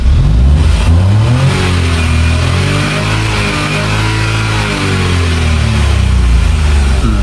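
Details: 2015 Kia Picanto manual, previously cranking with no start, after fuel pump fix: engine rises and falls through the revs smoothly, pulling clean with no misfire, stumble or knock; sounds healthy.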